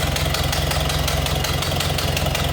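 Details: 1931 Ford Model A five-window coupe, 201 cu in L-head inline four, 6-volt system, idling with hood panel open: quick sharp ticking puffs keep time with each firing over an otherwise smooth idle, pointing to a small exhaust leak.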